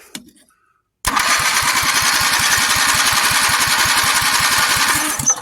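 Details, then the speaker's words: 400 cc engine on a replica build, cranked using a golf cart battery: starter churns steadily about three pulses a second for four seconds without catching; cranks but won't start. "okay let's uh get a little more direct approach here sounded like it almost wanted to start there we go we're getting somewhere"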